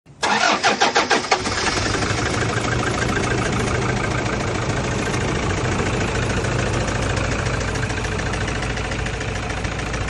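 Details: Toyota SUV with 1KD diesel engine on start-up: cranks and catches with a burst of loose, rapid rattling, then settles into a steady, clattery idle; the rattle's source is unclear.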